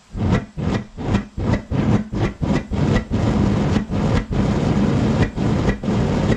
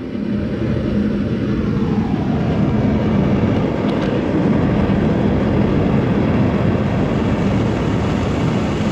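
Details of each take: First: Gas furnace with a homemade Frosty T replacement burner, air intake blocked off almost completely: roaring flame surges up and down about 2.5 times a second, hunting at different gas pressures, gas audible; burner flame pulsating, burner tube suspected too long. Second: Foundry furnace gas burner after cutting the overlong burner tube shorter (it caused pulsating and low heat) and fitting a better regulator, around 5 to 10 psi: smooth, even roar with no pulsing or sputtering; running steady.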